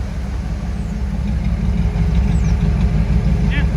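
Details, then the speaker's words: Third-gen Trans Am, stock L69 305, after a header install with the Y pipe and exhaust reconnected, warmed up: a deep, even V8 burble at idle with no misses, ticks or exhaust leaks. Normal idle. "I was letting it run there for a little bit. But here's how it sounds like. Not bad. A little stock L69 305."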